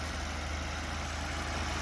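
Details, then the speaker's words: 2009 BMW 750Li with an intermittent tapping complaint, suspected timing chain, lifter or oil quality: steady even idle, smooth low hum, no tapping or ticking at this moment. "So in this case, engine runs fine. If we start right now, engine will just like not make any noise. Engine sounds fine."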